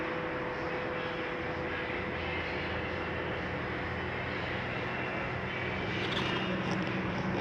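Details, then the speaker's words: Flagstaff T21DMHW RV roof lift retracting after pressing retract: one steady, even low drone with no straining, grinding or stalling as the top comes down slowly; normal roof lift operation. "And hit retract. Everything's going to start coming down nice and slow for you."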